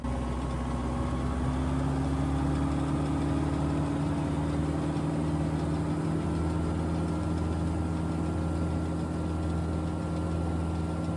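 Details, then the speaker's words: Tractor with the PTO engaged, revved to 2,500 rpm rated engine speed during a canopy noise test: a loud, steady diesel drone held at high revs, even and smooth with no knocks; normal running at rated PTO speed. "All right, PTO's running. We're going to crank it up to 2,500 RPM, which is rated engine speed."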